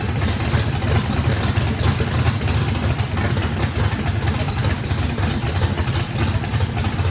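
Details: Brand-new race motor with a radical camshaft on its first start, with big overlap and lobe separation; the throttle blade is about 6% open to idle. Deep, choppy, rhythmic lope, otherwise running strong and clean; normal lopey idle from the radical cam.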